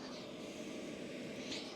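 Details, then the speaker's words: 2024 WIPPRO 8 kW diesel heater after a long run, in its cool-down cycle, blowing out gases and burning off internally over one to three minutes. Soft steady rush of air with no burner roar; a normal shutdown purge. "it's actually blowing out gases it's burning things up internally it takes a minute or two or maybe three to actually go through a full shutdown"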